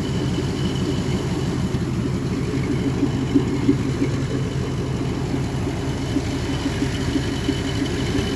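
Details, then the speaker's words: 1957 Pontiac Star Chief V8 at idle during inspection: even steady idle with loud raw open-exhaust puffing rumble from an exhaust leak; engine runs very smoothly with no vibration; noise bothersome when accelerating. "Voilà, alors évidemment, quand on conduit avec et quand on accélère, ce vilain bruit d'échappement, ça dérange un peu, parce qu'on n'apprécie pas la voiture à sa juste valeur."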